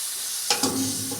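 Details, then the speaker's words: Old bulldozer revived after sitting in the bush, hydraulic tank filler cap opened after a cool night as oil starts warming: brief sharp hiss of trapped pressure, not suction; oil about halfway on dipstick; hydraulic tank pressure release hiss. "Oh, listen to that, listen to the suction the thing's got. Pressure, it's actually pressure."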